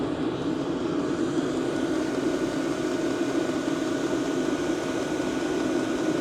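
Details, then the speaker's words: Diesel air heater running steadily with microphone held close to the combustion air inlet behind the removed rear cover: even rushing hum and constant drone, the intake rather than the outlet being the main noise source, measured up to 78 dB. "Wobei ich auch sagen muss, von der Lautstärke her ist der Luftauslass gar nicht so das Problem, meiner Meinung nach, sondern der Lufteinlass."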